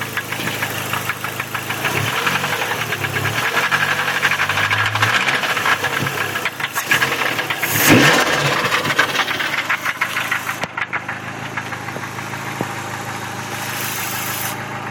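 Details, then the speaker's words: SRT4 four-cylinder idling with a steady knock about three times a second, sounding like a worn rod bearing; rod knock suspected, not confirmed. "You know what that mean, right? Yep, that's a rod knock."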